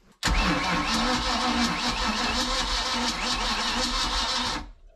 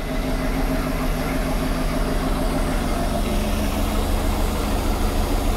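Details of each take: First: Boat with a 454 big block, fuel several years old, about 2 oz of fuel poured down the carburetor. A heavy, laboured cranking for about four seconds that never catches; batteries read 12.4 volts and spin slow: slow cranking, no start. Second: MerCruiser 7.4 L 454 big-block Chevy V8 marine engine running on gas at least two years old; deep, even rumble with no knocks, misses or heavy smoke.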